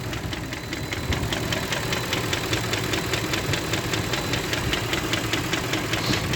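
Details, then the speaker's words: Range Rover Vogue, M62B44TU V8, idling. Steady, sharp rapid ticking knock, about two or three per second, present since purchase and over roughly 15,000 km. The knock seems to come from the top end; others blame the VANOS, and the cause is unconfirmed pending engine removal. "Привет всем Ну в общем при покупке авто был вот такой вот стук Ну он и сейчас есть отъездил я так почти 15.000 но он мне уже надоел"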